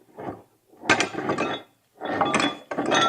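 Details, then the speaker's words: Failed workshop air compressor, poorly maintained, being torn down: turning the crank slowly by hand gives bursts of metallic clinking and clunking from a broken, loose connecting rod. "oh this is kind of fun probably this probably how it sounded when it was running"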